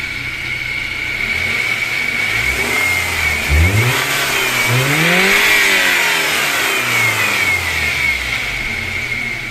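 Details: BMW M43TU engine, knock at revs and on cold start but quiet at idle, after replacing rockers and hydraulic lifters: revs up and down with a dull load-dependent knock; owner suspects connecting rod bearings, not confirmed.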